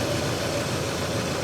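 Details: 1987 Mercedes 420SEL V8 at auction, 306,000 miles: smooth, even idle murmur with no knocking, misses or rattles; a healthy idle.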